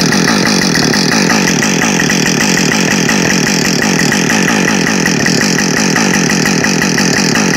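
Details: New Husqvarna 562XP Mark II chainsaw, first-ever run, warming up before timed cuts: steady high-pitched two-stroke buzz at even speed, no stumbling or surging; normal running, found its tune quickly.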